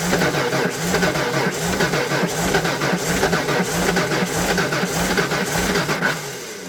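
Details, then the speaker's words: Derelict 1992 Ford Flareside six-cylinder on a cold day, fuel pump now dragging and circulating fuel: starter churns steadily about four beats a second but never fires; crank no start, pump suspected not making enough pressure. "i know the pump's doing something that just barely ended up making not making enough pressure to keep it running"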